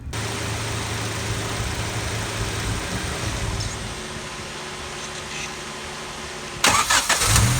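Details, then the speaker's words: Turbo Honda Civic D16Y7 at idle with an eBay adjustable fuel pressure regulator turned up too high, untuned and without injectors big enough; idle sags and stumbles with an uneven beat, flooding from excessive fuel pressure. "Real fast, I'm going to show you real quick what happens when you turn the fuel pressure up too high while the engine is running, and it's not tuned for it and it doesn't have big enough injectors for that."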